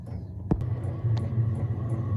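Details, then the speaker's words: Diesel heater with a nearly full diesel tank, installed to vent into the garden, starting up: a click, then a low steady roar builds within a second and settles evenly as it lights; not quiet, but it starts normally and gives heat. "yeah as you can hear she's not quiet but I don't give a [ __ ] it even come with nearly full tank of diesel as well you know but there we have some nice heat"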